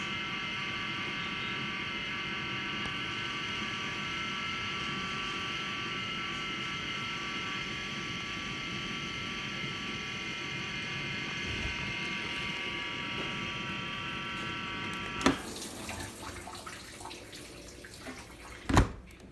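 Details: LG LD1419W2 dishwasher during wash cycle, normally much quieter but changed within the last week: loud steady whine that cuts off abruptly, then two clunks; cause unknown.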